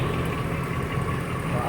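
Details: 2005 Dodge Ram 1500 at idle after catalytic converters removed for a fault code, straight pipes fitted and leaking joints sealed with exhaust joint and crack sealer: deep steady rumble, no puffing or ticking; exhaust now sealed.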